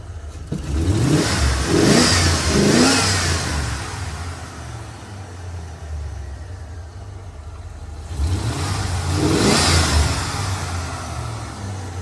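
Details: Old Ford after tune-up, runs fine at idle: two clean throttle blips rise smoothly and fall back to a quiet, even idle, no stumble or hesitation. Normal free revving.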